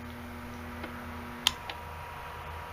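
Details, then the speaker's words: LiftMaster garage door opener motor during teardown; steady hum, then a sharp click and tone change as the start winding drops out and the run winding carries on; normal. "see that noise tone change that there's start when you gone there's just the run windings"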